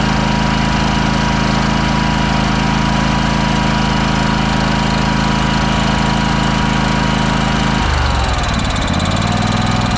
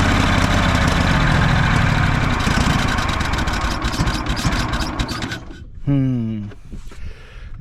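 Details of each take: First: Craftsman DYS4500 riding mower revived after sitting for years: small engine holds a steady, even hum, then settles smoothly to a lower speed with no misses or knocks; normal running. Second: Craftsman DYS4500 lawn tractor run after several years sitting, on choke. Battery had likely died from the key being left on. Runs unevenly with a rapid, irregular thump that sags before cutting out, seemingly starving for fuel.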